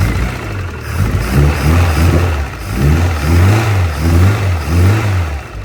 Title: Innocenti Mini Cooper 1300 with Vmaxscart Supercharger. Startup after rebuild